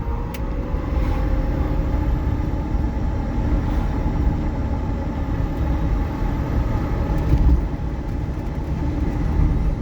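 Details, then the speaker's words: EV-converted MG Midget with newly installed replacement electric motor and new potentiometer throttle, test drive in forward gear: smooth even road rumble, faint motor hum, no knocks or grinding; motor stays cool (16C); reverse gear grinds and is jumpy separately. "Actually sounds very good going forward. So something with reverse gear is wonky. Oh man, this is smooth!"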